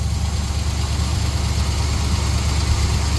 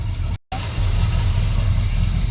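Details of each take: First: 1966 GMC pickup V8, owner suspects fuel line restriction or running out of fuel: steady, fast, slightly uneven idle held above normal because the faulty throttle linkage doesn't return and had to be pulled back by foot. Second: 1966 GMC pickup V6 idling on its own without priming after a clogged fuel filter was replaced (rust found in the fuel); steady, even low rumble, normal idle.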